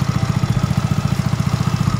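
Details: Yamaha Nouvo scooter, stock carburetor jetting before bore-up, just started: even, steady putter about twelve beats a second with no ticking or knocking; healthy idle.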